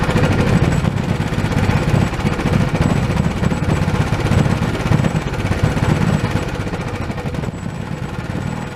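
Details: Old Honda small single-cylinder pull-start engine, sat for years and not getting fuel, now repaired and reassembled with throttle reconnected: steady rough-edged idle with even low thumps, no misses; normal idle.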